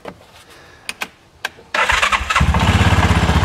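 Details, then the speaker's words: Cub Cadet Challenger 500 UTV (HiSun), believed to be a 2013, that won't move; the customer had replaced the wet clutch, and the belt is tight. A few clicks, then the starter catches and the single settles into a quick, even thumping idle in neutral. Engine start and idle. "so what I'm going to do I'm going to fire this up and we're going to see what everything does inside the transmission here"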